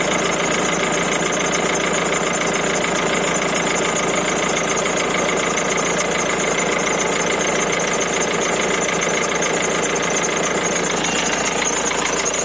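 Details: 1.6 HDi diesel that previously had an ignition-on no-start traced to a starter motor fuse problem. Steady idle with the usual light injector clatter, even rhythm and no misses. Normal diesel idle.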